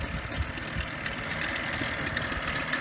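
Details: 2011 BMW 535i at cold idle, 7 a.m.: uneven chattering rattle and a faint high squeal over the engine from the belt tensioner pulley, which is noisy when cold; it is to be replaced today.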